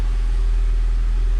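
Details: 2004 Honda Civic EM2 D17, first start after water pump and timing belt replacement, coolant still to be bled: low even rumble at steady idle, no knocks, misses or whine; runs smoothly.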